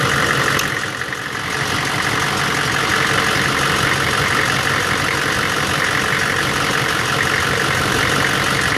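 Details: 1999 Chevy 6.5 diesel truck at idle with a bad fuel injection pump, owner noting an odd link to the AC electrical circuit or engine load: idle sags briefly then settles into an uneven lumpy clatter; fixed by replacing the pump.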